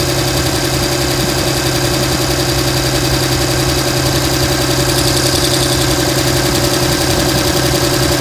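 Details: 2007 Dodge Ram 5.9 Cummins diesel rough idle with loud, uneven, stumbling exhaust chuffs; began a month ago, intermittent fuel rail pressure, MAP sensor and overboost codes; owner asks about excessive blow-by and exhaust sound; cause unclear.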